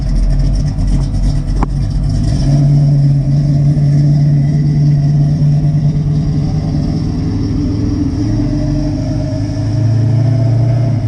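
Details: 1963 Chevy Nova V8 after brake work: deep, steady burble with even pulses and smooth rev rise, no misses, knocks or squeals; engine running healthy.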